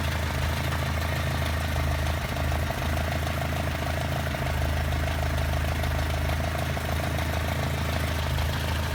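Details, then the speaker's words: Carburetted 2 L engine with well set-up carburetors, air filters not yet fitted: steady, smooth, even idle with no knocks or misses, settling right back to rpm; normal idle. "the end of the day this is what it should sound like it's a normal 2 L with really well set up carburetors just for this motor"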